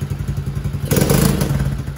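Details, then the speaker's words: TAO 110cc ATV engine with only 50 psi compression that idles but won't throttle up and has almost no power: soft, rapid thumping idle and a weak, breathless rev; engine replaced. "It just ain't got enough poop in the shorts because it only has 50 pounds of compression."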